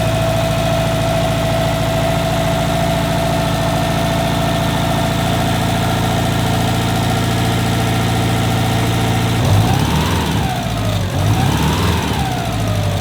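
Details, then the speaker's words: Rebuilt 2005 Subaru WRX STI after first start, cold-start idle exhaust clip. A steady, even idle with a smooth low burble, no ticking, and a brief rev blip. The ticking only returns once warm; its cause is unknown, with no knock and normal compression. "Now, just so you guys can hear it, there is no ticking right now. The ticking does not happen on cold start."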